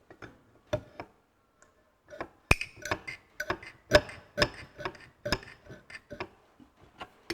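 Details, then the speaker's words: Ferguson TE20 hydraulic pump being assembled with old pistons, turned by hand to draw oil: irregular light ticks and clicks as the valve snaps open each stroke; normal. "you can hear that you can hear that valve opening let's see if we can draw a bit of oil through"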